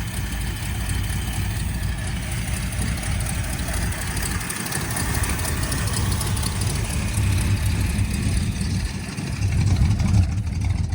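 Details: 1979 Ford Fairmont two-door police car, just revived after a carb clean-out: a steady, deep idle with light throttle blips that pull up cleanly with no knocks or misses; one side is smoking.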